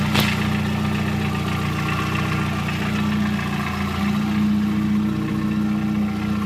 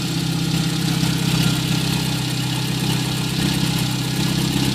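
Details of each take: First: VW Gol 1.0 8v, odometer 120, 20W50 mineral oil, after about 10 minutes of warm-up (quiet when cold): hot idle with a loose, irregular clack that vanishes when the throttle is touched. The owner suspects the piston pin or skirt and possible past overheating, unconfirmed. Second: VW Gol 1.0 8v, 20W50 mineral oil, idling about 5 minutes after start, not fully warm: even idle with light regular lifter tick about three per second, normal morning tappet noise; noise of concern only appears when hot; normal idle.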